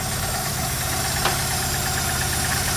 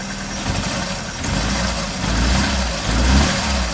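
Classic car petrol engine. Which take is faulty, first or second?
first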